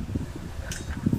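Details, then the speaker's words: Noisy air cooler after repair, blade refitted and locked with a circlip, body reassembled, on test: soft low fan hum with gentle airflow and no rattle or scraping; noise gone, normal operation. "Maririnig nyo po, wala na po kayong naririnig na sounds."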